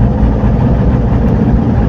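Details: Gasoline engine just restarted after a full rebuild (timing set, new rings), freshly started and not to be revved hard: deep, steady idle with an even low rumble and no knocks or ticks. A small exhaust leak is suspected.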